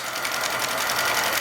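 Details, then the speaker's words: Repaired Hornby G100 live steam Stephenson's Rocket model on its first run under its own steam, new fuel tank fitted, safety valve not leaking, running in reverse: fast, light, even ticking over a steady hiss, running smoothly. "but it's running absolutely beautifully so here's the first run of the rocket under its own power the new fuel tank is a great success safety valve isn't leaking"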